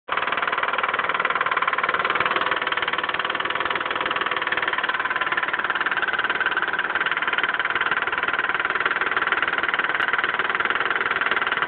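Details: Mitsubishi 3000GT at steady idle: quick, fairly regular light ticking about four times a second, a suspected lifter tick. The owner suspects no oil is reaching the left lifter and too much oil sits at the camshaft end.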